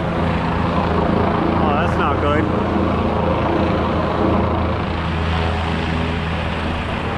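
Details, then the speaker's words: Ford F-150 300 straight six no-start, cranked by jumping starter solenoid with spark tester: steady cranking about 4 beats a second, never catches; no spark, failed ignition module missing its heat-sink screw. "all right back to work again so it's uh we do not have any any spark"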